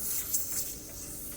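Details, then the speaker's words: 1992 Ford Fox body Mustang 5.0 with Vintage Air AC retrofit, nitrogen pressure test: thin, steady high hiss from one spot where the hose rubber meets the back of the crimp, a leaking refrigerant hose. "Yeah. Got a bum hose. What the hell? It's on the back side of the crimp, where the rubber meets the crimp."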